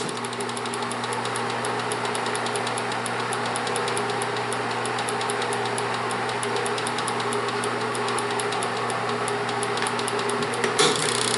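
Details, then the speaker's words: Bell & Howell Autoload projector set to Super 8, running forward with lamp on at slow-motion speed: steady mechanical whir with fast, even film-advance clicking, no grinding or slipping; normal slow-motion running. "Vamos a darle hacia adelante y encendemos otra vez. Ahí está. Damos luz. Okay. Velocidad, cámara lenta."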